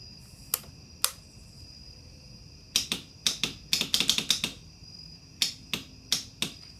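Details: Kawasaki Ninja 250 no-start: only sharp irregular clicks in quick bursts with no cranking or firing; cause unknown.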